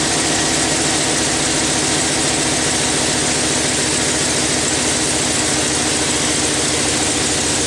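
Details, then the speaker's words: Chevrolet Silverado 6.0 idling after a water pump replacement while the coolant system is being burped; a quick, uneven ticking puff over the engine note comes from an exhaust manifold leak. "I can hear it. I got an exhaust leak. It's from the manifolds."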